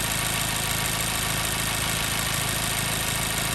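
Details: 2014 Mazda 3 2.0L warmed up after about 8 to 9 minutes, with a cylinder 2 misfire (P0302): uneven, lumpy idle as one cylinder misses; cylinder power-off tests so far show no difference.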